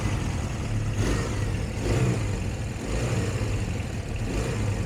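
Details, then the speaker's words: Benly motorcycle single, stone cold, no choke, just after carb rework: it rumbles with a throttle blip about once a second, each rev swelling and falling back. "fuel on ignition on i'm not going to use the choke just see what happens absolutely nothing i might just gotta fill the carb up"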